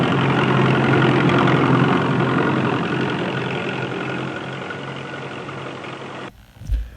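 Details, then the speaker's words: New GWM Tank 300 diesel idling: a rough, regular clank about three or four per second over the engine, from the exhaust back-pressure valve. "What is the point of doing all that work on the engine noise when your engine back pressure valve sounds like a piece of agricultural equipment from the early 20th century?"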